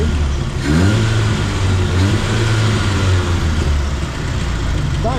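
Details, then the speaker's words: A-reg Vauxhall Nova 1.6 injection that had run badly, after fitting a different replacement sensor: engine revs up and back down smoothly and evenly with no stumble or hesitation; normal revving, noticeably cleaner. "seems to be revving cleaner there you go that's made a difference"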